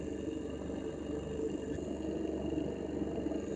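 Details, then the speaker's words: Never-disassembled motor of a reverse osmosis pump, running: a quiet, fast purring rattle under a steady hum; the owner suspects the rear bearing and is about to take the motor apart to find the cause. "здесь специфический звук [музыка] видать по башмакам может больше проблема задним подшипником"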